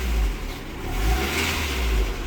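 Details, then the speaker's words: 1994 Suzuki Esteem 1.6 old sedan revved briefly: engine still fine; short rev blips with a deep, even drone, no knocks or rattles. Normal revving. "ya sebentar masih aman untuk mesinnya"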